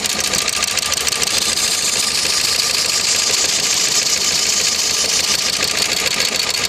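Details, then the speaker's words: Opel Vectra 1.8 16v petrol driven hard on the autobahn without oil: sharp regular metallic tapping about three per second over idle; internal engine knock, suspected piston rings, not confirmed. "Человек ездил без масла на автобаме, гнал, не обратил на уровень масла. Вот так теперь работает мотор. Походу ему кердык."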